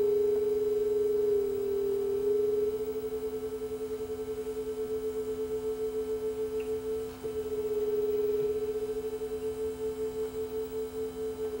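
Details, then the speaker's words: Sanyo RDS20 cassette deck playing a 440 Hz test tone against a reference; slow pulsing beat shows playback flat: tape speed running slow, before speed adjustment. "got a 440 Hertz tone going we can hear that this was flat so we're just adjust the speed here"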